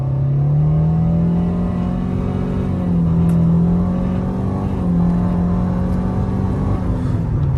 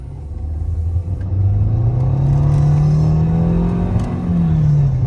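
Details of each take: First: 2013 Nissan Altima CVT under hard acceleration at 60 mph after the transmission slipping and surging fix: steady deep engine drone with no whine, accelerating well. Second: 2013 Nissan Altima CVT under hard acceleration; steady droning whine climbing in pitch and holding, caused by low transmission fluid, with slipping, surging and bucking symptoms.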